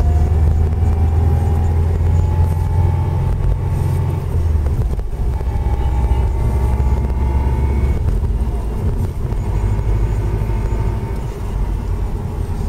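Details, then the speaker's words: Subaru Impreza WRX, 5-speed gearbox, driving: worn centre differential bearings give a thin whine over engine and tyre rumble that speeds up with the car, unchanged by gear changes apart from a slight pitch shift; heard in every gear. "You'll know it's centre diff because the noise speeds up with the car. It doesn't change in gear changes, although it might change in pitch ever so slightly."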